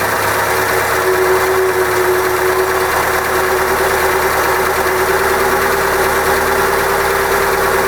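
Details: OMC 140 sterndrive after oil change, running in garage on garden-hose water, carb recently cleaned after sitting 18 years: smooth, even idle with steady hum, no knocks, stumbles or surges; normal idle.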